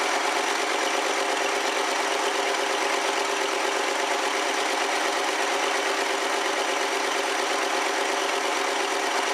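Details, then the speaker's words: 1969 Lincoln Mark III V8, just started with carburetor refitted; steady even running with smooth rapid beat, no knocks or misses; engine runs cleanly. "all right that sounds like a win"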